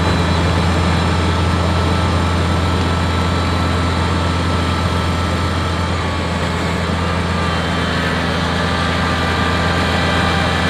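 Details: Kubota BX diesel tractor after fixing cold-weather fuel starvation (suspected gelled fuel): steady, even low diesel drone with no misses, knocks or hunting under light load; running clean.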